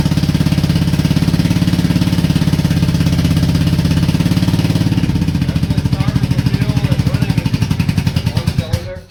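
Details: Honda Shadow V-twin motorcycle, 20k miles on the same oil, parked four years: loping, uneven low thump about three and a half beats a second with occasional pop, sounds like running on one cylinder; owner suspects sticking valves from no oil changes.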